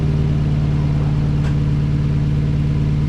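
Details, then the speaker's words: 1963 Plymouth Belvedere, sat since 1978 and revived: fires straight up and settles into a smooth, quiet, even idle after running a while, steady low beat, no knocks or misses. "And she fires right up, guys. Fires right up. I can't believe it. And this is how quiet it is now after running for a while."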